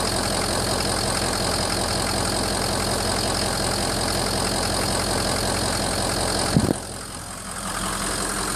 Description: 2004 ford f350 6.0 is this bad injectors? Bad ficm? Bad egr? I cleaned the egr it was sooted up reinstalled still does it, seems like when the truck warms up a bit to normal operating temp smooths out